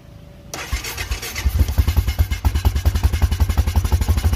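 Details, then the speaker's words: Honda Foreman four-wheeler that won't stay running, key on, hand held over the carb intake as a clog test: cranks, catches, then runs ragged and lumpy, spitting fuel back through the carburettor; owner suspects too rich or carb problem. "so it's kicking back a bunch of fuel so that's waiting me believe that there's something going on in there it's either too rich or just something's going on in two carbons"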